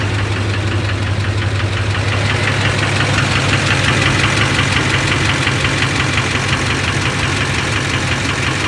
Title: lbz duramax engine knock